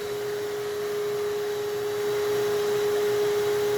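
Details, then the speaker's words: Vac powering a CNC vacuum table, board covering the holes despite air gaps: steady, even whine a little over 400 Hz under load; motor running normally, holding work down. "it's still doing a darn good job once you cover the hole boom right there even though these are all air gaps this is all sucking air through there"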